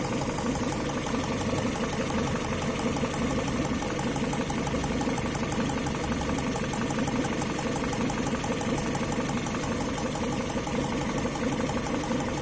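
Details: Engine at steady idle with a fast, uneven light knocking through the running note; the cause of the knock is unknown and needs closer checking.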